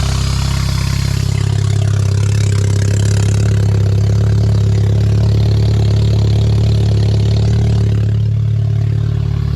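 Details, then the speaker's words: K24A2-swapped 1987 Acura Integra first running after new MAP and intake air temperature sensors, and 12 V to both cam position sensors: catches and settles into a steady loud idle through a short exhaust, even beat, no knock; running normally. "So, it finally runs."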